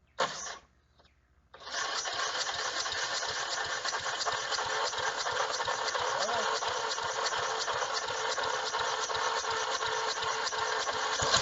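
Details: Old Snapper riding mower, 12.5 hp Briggs & Stratton, revived after sitting for years: starts after a couple of tries, then settles into a steady, even single-cylinder run, no knocks or misses.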